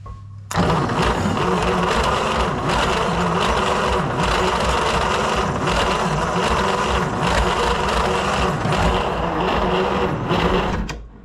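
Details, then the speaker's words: 1938 Dodge D8 sedan engine, unstarted for roughly 30–40 years, cranked with charger boost. Long starter grind with an occasional uneven chug; one cylinder is firing. Owner suspects oily spark plugs. "One of them's definitely hitting."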